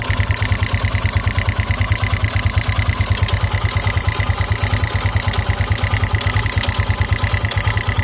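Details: 2009 KTM EXC 450 single-cylinder at idle: steady thump with a regular clack (owner suspects cam chain tensioner) and irregular sharp "tick tin tin" ticks that sometimes stall the engine; fades with throttle, oil level checked, cause unknown.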